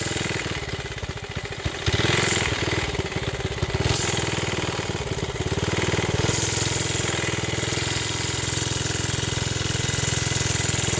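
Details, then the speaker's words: Briggs project small engine, owner blames the carb: catches, then the beat speeds up and slows instead of holding steady. A spring under the seat did not help. Surging idle that won't settle. "There it goes. You can hear it just doesn't want to settle down. And that's the carb."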